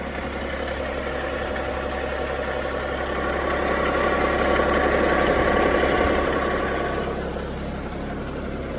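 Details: BMW 530d diesel idling with a steady, fairly regular knock about three per second over the rumble; engine knocking at idle, source not pinned down.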